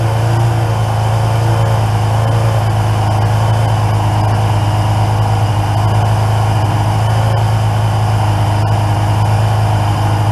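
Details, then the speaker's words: 1981 Yamaha XJ750 Seca inline-four, running for the first time in years after carburetor and brake work. It gives a strong, smooth four-cylinder hum with an even low drone and no misfires or rattles. Normal running. "man i forgot how much i love that four-cylinder song all right she's rolling"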